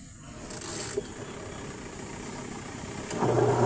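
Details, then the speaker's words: Washing machine with a leak underneath and a dead dryer: after a click and quiet hiss, the wash motor hums steadily and runs evenly when the timer is turned; wash motor works normally. "Ayan, mandar naman."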